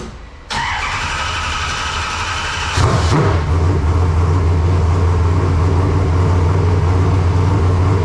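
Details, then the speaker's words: Race car engine, first fire of 2025 after fresh install and coolant fill: short crank catches, settles into fast steady idle that stays high; no tachometer to read RPM, no major problems seen. "it's idled up a little bit thing was I don't have a tack so I don't know exactly how many RPMs it was turning"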